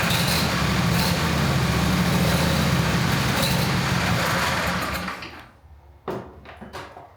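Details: John Deere Z425 zero-turn mower engine runs with a steady, even beat at about four pulses a second and no roughness, then shuts down, after the fuel supply was cleaned and freed up so it would fire; clean running.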